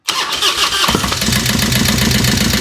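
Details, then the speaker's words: Harley-Davidson Road King first fire-up after converting Magneti Marelli EFI to CV40 carburetor, choke pulled, in neutral: cranks, catches into choppy idle with light irregular knock; oil not yet flowing, suspected stuck lifter. "Knocking a little bit. We've got to get some Got to get some oil flowing. We've got a stuck lifter, it sounds like. But, it runs."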